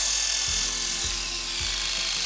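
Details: Hair clipper with an unoiled blade fitted: high buzz with a hard edge and a faint periodic knock about every second; dry blade dragging and straining the clipper.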